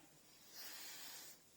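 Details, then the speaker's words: Citroen SM 3.0 Automatique engine during restoration, taken to operating temperature, system at about 14: faint steady hiss and buzz that swells then settles; cooling system holds pressure, no coolant leak. "I can hear it buzzing. I can hear it hissing. It's not leaking, you know."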